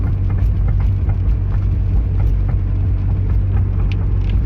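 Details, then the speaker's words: Car fitted with aftermarket rear suspension parts, recorded from inside with the rear seats down. Under the low road rumble, sharp loose knocks and rattles come with each bump; suspension rattle, cause unknown, and a nut and bolt check is planned. "sounds like my wheels are going to fall off what the hell all okay we're going to do a nut and bolt check cuz that sounds ridiculous"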